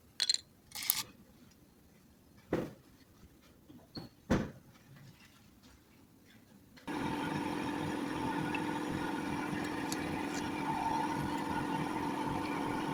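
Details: Toyota Camry engine with a suspected bad alternator: after some knocks and handling, it settles into an even run with a faint steady whine on top, possibly from the alternator.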